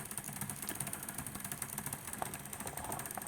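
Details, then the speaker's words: P2 Cock O North model locomotive: a fast, uneven buzzing chatter from the drive, steady with motor speed. The owner suspects the worm drive isn't meshing properly with the gear below, such as a wrong thread pitch, not confirmed. "all right can you hear that noise and it's emanating from here it's here I'll tell you what it sounds like it sounds like that that Worm Drive is not engaging"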